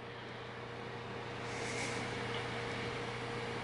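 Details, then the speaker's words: GTX 970 graphics card fan freed after being stuck with dust (card hit 92°C at idle), owner thinks it needs oiling: quiet steady whir with faint hum and airy rush, no scraping or ticking; spinning freely. "i can feel the heat coming off now that they started spinning so definitely need some maintenance oiling maybe"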